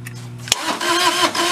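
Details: Mid-1980s Bobcat skid steer (possibly 642) diesel, non-running: buzz, then a steady quick crank that never fires after glow plugs, with ether used up; owner hopes for a fuel problem, cause unconfirmed.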